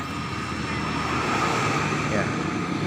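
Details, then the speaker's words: Honda Beat at key-on: faint steady electric hum of the fuel pump priming while the check-engine light flashes briefly. Normal fuel pump priming. "bunyi seperti itu teman-teman ketika di kontak on dia akan berbunyi maka itu tandanya semua dalam keadaan normal"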